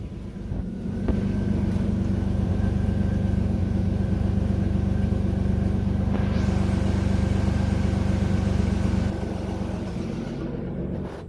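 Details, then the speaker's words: 1987 Buick Grand National parked for 9 years, with Hooker headers and possibly a cam, first start: steady fan roar over an unsettled idle that never smooths out; a temperature sensor reads very hot, keeping the fan on and upsetting idle. "one of the temperature sensors somewhere in the engine control system is telling the computer that it's really really hot which is why it's not right it's not idling right because it doesn't know what temperature it is"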